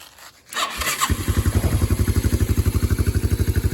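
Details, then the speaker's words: 1987 Yamaha Moto 4 225 single cylinder, repaired after zero compression from bent valves, valves retimed and exhaust clearance set to 0.006 in, cold start on key: even, steady pulses about four per second, no misses or tapping; runs smoothly. "See how smooth it runs now?"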